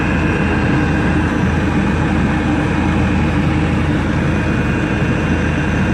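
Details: Webasto parking heater on a 1999 Seat Alhambra 1.9 TDI, after repair: constant, even roar of burner and blower with no surging, popping or rattles; running normally.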